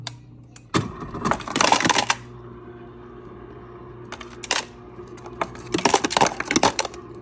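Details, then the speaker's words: Samsung smart fridge ice dispenser on cubed-ice setting after clearing the stuck crushed-ice mechanism and reseating the bin: quiet motor hum with clattering bursts of whole cubes into a cup, blade not spinning, just kicking ice; normal cubed dispensing restored. "so yeah now you'll hear that the blade is not spinning it's just kicking ice"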